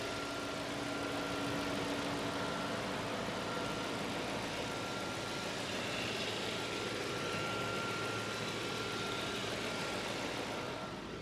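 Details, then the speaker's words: 2004 Audi RS6 Plus 480hp V8, Japan import, heard from various places around the engine; smooth muffled rumble at even idle, no valvetrain ticking, belt squeal or bottom-end knock; healthy. "Sort of muffled V8 rumble to it, and I'll just let you listen to the engine from various places here."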